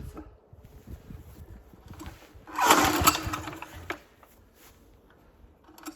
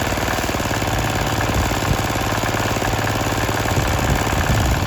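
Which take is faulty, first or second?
first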